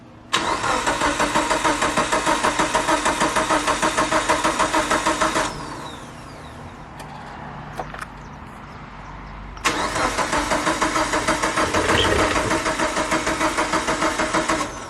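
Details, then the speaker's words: Mitsubishi Evo 8 first start attempt after sitting 8 years, fuel pump priming: two long cranking spells at about three turns a second, never catches; fuel rail dry, 255 in-tank pump not working, no fuel delivered. "i mean no gas coming out of there so that's that's why we're having"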